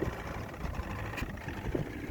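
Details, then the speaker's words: 1995 Evinrude 112 SPL outboard, new plugs and plug wires, just started on choke after priming, half throttle: uneven low burble with stumbles and hesitation. Idle is low and rough; cause unknown. "just fires up right there pretty easy fire up with that pump but as you can hear the hesitation start so something's going on in there"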